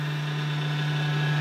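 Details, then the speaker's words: Server box being set up for pfSense makes a heavy, constant low roar right from power-on, repeating after a restart; loud roaring at power-on, cause unknown. "so I booted it up started making some crazy noise I'm like what the so I turn it off and I turn it back on just to see if it was a fluke"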